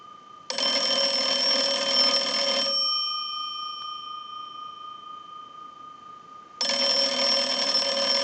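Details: Kellogg wood wall crank telephone during repair checkout. Two crisp, even bell rings about two seconds long, each a rapid steady trill with a pause between: the ringer works normally.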